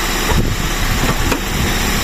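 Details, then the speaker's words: 2001 Toyota Altis 1.8G, warm, idling after an oil change with the oil pan pulled and strainer cleaned: a quiet, even, soft low rumble with no knocking or tapping. The noise it had before, even when hot, is gone. It is not revved hard because the gasket is freshly seated. "So ayan, napakatahimik mga kadeway, oh. Wala na yung ingay. Wala din dito. Wala rin agad, no?"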